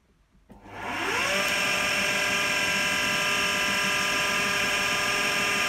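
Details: AEG Lavatherm 56800 tumble dryer with motor only turning one way, relay on PCB traced as fault, test with relay removed; steady even motor whir, smooth spin-up, no knocks, scrapes or rattles; drum running normally.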